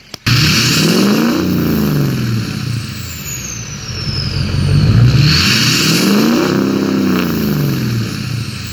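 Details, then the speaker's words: 2006 Ford F350 6.0 diesel after P2262 fix (broken MAP sensor nipple on intake); two strong revs with clean rising turbo whistle falling off as engine drops back, boost builds without hesitation: normal turbo spool. "that is a thing of beauty just can't kill big black although some people think I'm trying to but I'm really not"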